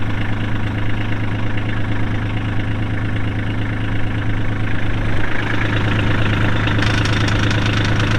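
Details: 2022 Kubota LX2610SU hydrostatic 4WD tractor with 138 hours: steady, even low diesel idle with a slight lift in revs past midway and no knocks standing out; runs normally.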